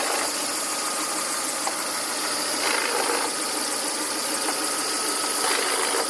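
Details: 2000 Volvo S40/V40 1.8 122 hp engine; steady idle with a rough hissy rasp on top and a faint thin tone; something rasps at idle, cause not pinned down.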